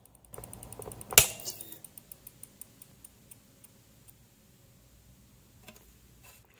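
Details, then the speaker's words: EVGA 800W BW ATX power supply fan coasting down: sharp regular clicks that slow with the fan, occurring only in some orientations; a mechanical fault, a plastic flash on a badly molded part catching on the stator. "if you listen to the frequency of the clicking you'll hear how it slows down as the fan slows down listen close"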